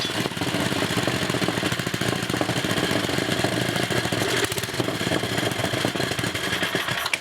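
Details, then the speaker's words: 1980 Montgomery Ward 2200-watt generator with a 5 hp Briggs & Stratton single-cylinder engine, test run after a new-old-stock block swap: a fast, even rattle at constant speed with no misses, knocks or smoke; engine running healthy. "alright guys the test runs alright we'll go ahead and put the generator running in"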